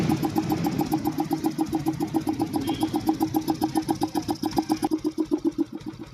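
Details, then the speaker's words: Yamaha FZ V3 single-cylinder motorcycle after service (new air filter): very slow, smooth, even idle, about four soft beats a second with no knocking. Idle speed was deliberately set very low. "Bike అంతే చాలా అంటే చాలా smooth గా ఉంది మనకు మనకు rising అనేది గన చాలా ఎక్కువ పెట్టారు బైక్ మనకు స్లో బీడింగ్ అనేది ఆయిలింగ్ అంటారు దీన్ని మనకు చాలా అంటే చాలా స్లో గా అయితే పెట్టాము."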